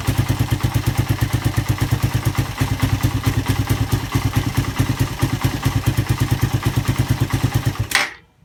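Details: Suzuki Satria FU single after repair of compression loss caused by a badly leaking valve, with a new piston: a crisp, even thump at a steady fast beat with no misses or clatter, then a clean shutoff; healthy running.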